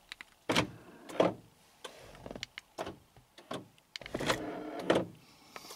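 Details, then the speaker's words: 2012 Honda Accord 2.4L sedan, heard from inside while locking and unlocking: door locks clunk and one actuator gives a short rough buzz; failing door lock actuator, with the whole latch assembly needing replacement; buzzing door lock actuator. "can definitely hear it in fact I hear this one when I'm unlocking it and I'm pretty sure I can hear the rear door when I lock it so it looks like both of these things are going to need to be replaced"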